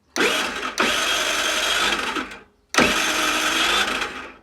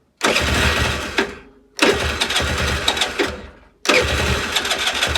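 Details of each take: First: Longjia 50cc scooter after carb cleaning and electrics work, cranked on a 12 V portable jump starter with no battery: two bursts of fast starter whirring, about two seconds each, with no firing despite confirmed spark and fuel; cranking but no start, cause unknown. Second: Longjia 50cc two-stroke scooter after carb cleaning and electrics work, no battery, powered by a 12 V portable jump starter, spark and fuel confirmed: several short sputtering start attempts, then it catches and buzzes steadily for a few seconds; starts and runs.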